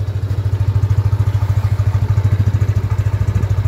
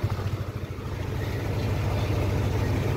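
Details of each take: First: Yamaha Aerox 155 version 1 scooter just after engine overhaul, first start: steady even putt, no knock, slightly high idle; normal idle, timing chain noted slightly worn. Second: Yamaha Aerox 155 version 1 after engine overhaul, timing chain not yet replaced: steady fast drone with no hunting; idle too high and won't drop by adjustment, needs diagnostic tool.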